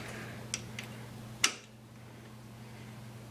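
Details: Baja 150cc go-kart with charged battery and new car-style ignition switch installed, otherwise stock: key turned gives only faint ticks and a sharp click over a hum, no crank; owner suspects wiring of the new switch.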